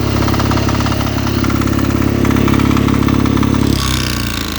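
Diesel catches quickly and settles into a steady low thump at about four beats a second, then eases down near the end; the engine itself runs.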